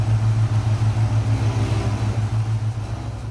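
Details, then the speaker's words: 2014 Gen 1 Ford Raptor at idle after power steering pump replacement, wheels turned side to side: steady even hum, no groan or whine; the other part found was the real fault, so the pump wasn't needed. "it was this thing this thing the whole time so in reality she didn't need a new steering pump"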